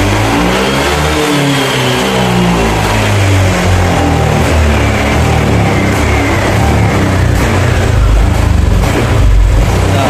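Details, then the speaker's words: Honda Vario 150 scooter revs up, then stumbles and sputters at mid-to-upper rpm, losing power; fuel pressure checked a normal 42 psi, and the cause was a misadjusted throttle position sensor. "Oke jadi mengalami kasus seperti barusan ya ketika RPM atas seperti hilang gas dan muncul mbet pada Honda Vario 150 ini"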